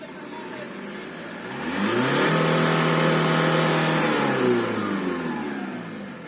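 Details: Turbo whistle on a VW Passat B5 with the AVB diesel; revs swell and settle with a thin whistle riding over the engine note, caused by a broken piece of the turbocharger compressor wheel.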